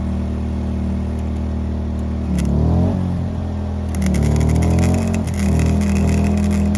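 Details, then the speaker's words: WEN 2000-watt inverter generator running an older 90 A flux welder: steady engine drone, then pitch sags and wavers as the generator overload trips, the engine idles down and the welder stops. "right here I realized that the overload on the generator tripped you can hear it just idle down and the welder stopped working so I got to shut it off and restart it"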